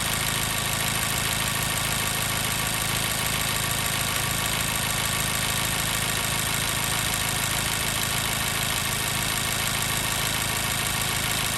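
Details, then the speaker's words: 2014 Mazda 3 2.0L petrol, code P0302, warmed up about 8–9 minutes: uneven lumpy idle with a steady miss from cylinder 2. "All right, we're really starting to hear that miss."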